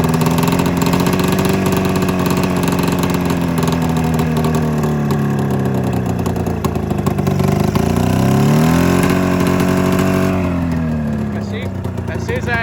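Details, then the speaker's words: 27-year-old two-stroke twin snowmobile: thin uneven idle with brief revs, running on one cylinder after coil replacement; owner suspects fuel delivery or carb float issue, other carb seemingly not drawing fuel; unconfirmed. "I mean you guys can hear it too it sounds like it's running on one cylinder"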